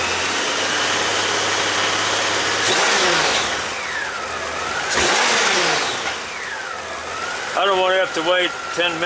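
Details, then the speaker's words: 30-year-old Honda GL1500 Goldwing, warmed up, air filter back on, after carburetor clean fixing accelerator pump and clogged idle jets; two crisp throttle blips dropping to a smooth steady idle; normal idle. "I know it's a lot better than it was but um I'm not 100% sure that it is 100% but it's 30 years old I don't need 100%"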